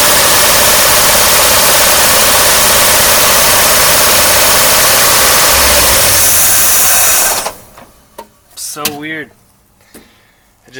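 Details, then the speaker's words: 1953 Oldsmobile Rocket Super 88 barn-find V8, throttle opened at the carburetor: loud rough running for about seven seconds, then dies abruptly. Stalls on throttle; owner suspects the carburetor, but it is not confirmed. "you see just die I really think it's a carburetor problem and I'm tired of messing with this one"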